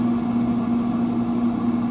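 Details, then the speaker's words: Free Pit Boss FB700 pellet grill with no heat, left out in the elements: steady electrical hum with no turning as auger motor is powered but stalled; owner suspects auger jammed by swollen pellets. "but it doesn't so i'm thinking it's just stuck"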